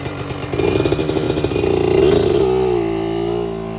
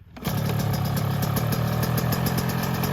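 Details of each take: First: 2024 Yamaha YZ125 two-stroke after new FMF pipe and silencer, JD jetting kit and Castrol full-synthetic oil to cure jetting problems and fouled plugs: crisp blips climbing quickly and dropping back cleanly, strong upper-rev pull; power band hits quicker and harder, idle still slightly high; healthy. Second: 2024 Yamaha YZ125 two-stroke after new FMF pipe and silencer, JD jetting kit, new oil and fuel mix; fast, even buzzing idle sitting noticeably too high, needs adjusting; high idle speed.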